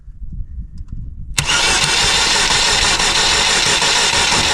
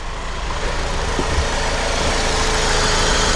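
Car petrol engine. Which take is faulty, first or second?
first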